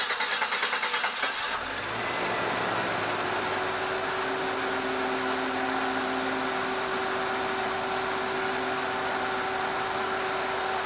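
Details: 1993 Jeep Cherokee 4.0 after fuel pump repair for fuel bleeding back and long cranking: short crank catches quickly, steady even idle with a faint high whine; fuel pressure 36–37 psi versus 31 required.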